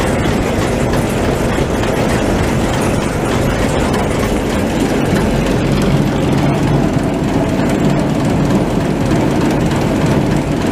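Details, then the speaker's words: Machine (525) running after walker repair, with the chain running for the first time: loud, even mechanical rush with a steady low rumble and no catching or slapping; much quieter, drive running smoothly. "is the first stuff running with that chain in there too. That's a crap ton quieter. Not catching anything, that's good."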